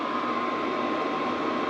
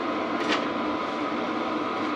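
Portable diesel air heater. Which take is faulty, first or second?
second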